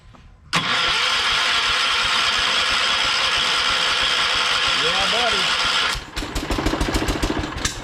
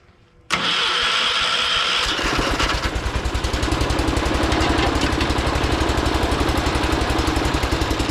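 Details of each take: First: John Deere 212 garden tractor started from the seat after a new solenoid install, with the electric fuel pump running: the engine catches and runs with an uneven, lumpy beat for several seconds before settling, rough just after starting. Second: John Deere 212 garden tractor with an electric fuel pump, started after installing a new solenoid: starter cranks briefly, engine catches and settles into a steady, slightly lumpy idle; a little unhappy but starts and runs fine.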